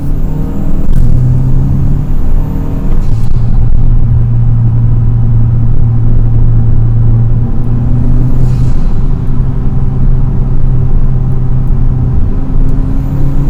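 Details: 2020–2023 Hyundai Sonata N Line cruising steadily on a test drive in sport mode after installing pre-gapped HKS M45XL spark plugs: smooth, even low engine drone, no stumble, miss or knock; running good, no issues.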